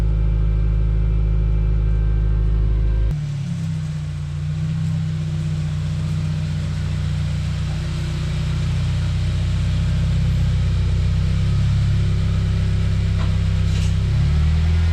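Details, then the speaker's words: Subaru Forester XT with loud aftermarket mufflers, cold start: deep booming exhaust drone at fast cold idle settling lower and quieter after a few seconds, owner guesses after startup enrichment ends; healthy cold start. "See, it quiets down after, I guess, the startup enrichment."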